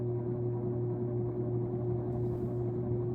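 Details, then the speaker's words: Sears Lasko turn-of-the-century 52-inch ceiling fan on high speed, drawing about 0.8 A: a loud, steady hum with a low tone and a higher motor drone, way too loud. The owner may replace the capacitor, and the noise might be normal. "Turn on back to high, which is way too loud."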